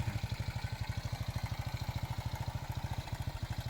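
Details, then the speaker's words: Gorilla-style small motorcycle with no hand clutch, original engine, tuned quiet; steady even single-cylinder thump at idle, about twenty pulses a second, no knocks or rattles. Smooth, quiet, healthy normal idle. "ขี่สบายๆเครื่องดีครับเครื่องดีเครื่องเงียบเครื่องนิ่มนะครับ"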